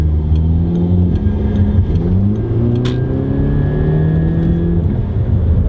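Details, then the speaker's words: Audi A3 2.0 TFSI after CTS Turbo intake install: revs rise with a faint thin high whistle over the roar under boost; diverter valve later found oil-soaked, suspected failed, possibly from faulty PCV; to be replaced. "this is kind of follow-up to the last one of the intake install because we started hearing some weird whining noises coming after we did the install"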